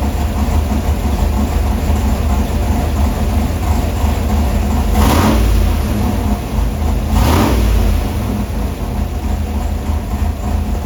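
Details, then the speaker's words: Carburetor dyno test at Bob McVay Dyno: engine pulls hard twice, each rev climbing with a sudden deeper intake roar as the carburetor secondaries open, likely opening late. "you are going to see them open up all the way but you're also going to hear it as the engine's accelerating so you'll know when it's actually opening up all the way"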